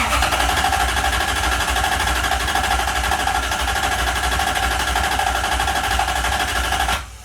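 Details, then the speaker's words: 1UZ-FE V8 swapped Mazda RX-7 FC in cold weather, started then cut off: starter spins engine steadily about three times a second for seven seconds without catching; cranks no start, cold start suspected. "So it ticks over nicely, but it just won't fire."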